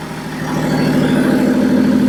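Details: Nissan Patrol with a BMW M57 bi-turbo diesel and 6HP28 automatic, first start, no exhaust fitted yet: a loud, raw but even diesel idle with steady pulsing and no misses, settling smoothly. Healthy running, just very loud without an exhaust.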